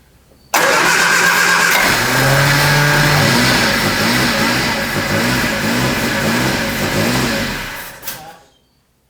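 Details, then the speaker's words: 1973 Triumph Spitfire after sitting three years, first start with throttle while cranking: catches, revs and runs fairly quietly for several seconds on sprayed brake cleaner, then dies; runs only on starting fluid, no fuel reaching it yet. "So, I think it just doesn't have gas to it yet, but it it runs and it is nice and quiet to your face."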